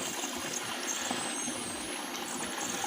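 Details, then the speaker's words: 7 L manual engine oil pump fluid extractor being pumped: steady airy hiss under each stroke where it should be airtight; vacuum leak at the pump head on top of the tank. "Okey dengar dengar bunyi ling angin masuk. Sepatutnya kalau kedap udara dia takkan bunyi macam ni."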